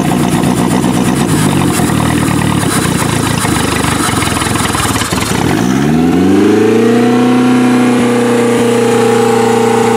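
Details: Used Toyota demolition-derby car, idle raised by refitting the throttle cable, revs roughly and settles into an unsteady idle with stumbles breaking the beat; still missing, cause not yet found.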